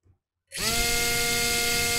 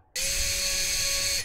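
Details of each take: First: Small FPV quadcopter motor tested alone on the bench: spins up to a steady high whine with a buzzy rattle and vibration underneath, caused by the motor hitting the capacitor. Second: FPV quad motor tested individually after being moved away from the capacitor it was hitting: a short burst of clean steady high whine with no scraping or ticking. Normal, freely spinning motor.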